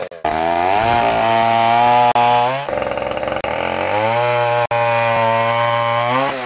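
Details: 1959 Stihl Contra (Lightning) 106cc 6HP two-stroke chainsaw, mint collector saw with Tillotson HL112C carburetor: crisp wail rising and falling cleanly with throttle blips, holds high revs without stumbling; runs healthy.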